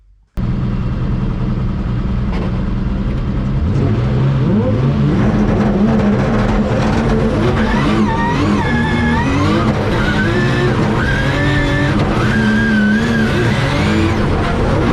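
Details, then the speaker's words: Drift car at the end of the track on full boost with full wheelspin: the engine won't rev, wavering and breaking up roughly. Misfire under boost; owners suspect voltage drop at the coils, later tackled with a new coil pack, new plugs and 13.5→14.8 V in hope of a fix. "we had some hard time to keep the car on uh on full boost with full wheelspin at the end of the track you can even hear the engine just don't want to rev"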